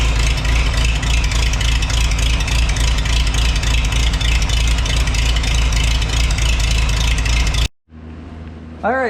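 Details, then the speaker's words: Antique Farmall H tractor running on a freshly rebuilt carburetor after fuel system cleaning and new strainer: strong even beat of about three to four pulses a second, no misses; carb not leaking; normal running. "we got her running she sounds good got a nice carb on there that's not leaking"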